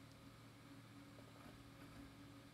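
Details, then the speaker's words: Scrapyard optical drive too weak to manage on its own, helped along by hand: quiet, steady hum and even whir, disc spinning and reading normally. It started working on its own, but the drive still needs attention and may be recoverable. "this drive works okay that's crazy oh I didn't do anything it did it all by itself it's healing itself"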